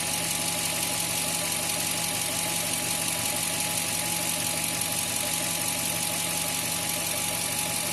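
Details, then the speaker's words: 2000 Toyota Tundra 4.7 L V8 that had code P0171 lean and wouldn't exceed 120 km/h: idles with a steady, even hum, no vacuum leak hiss now; short-term fuel trims normal, the leak had been the whole cause; a valve still needs replacing. "حتى صوت تسريب الحين ما في صوت تسريب، طبعا هذه سبب المشكلة كلها."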